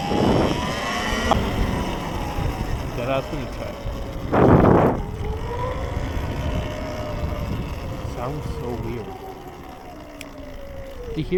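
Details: Electric off-road bike (Surron-type) climbing hills and through mud: high whine rising and falling with motor speed over ride and trail noise; rider unsure if abnormal, cause not identified.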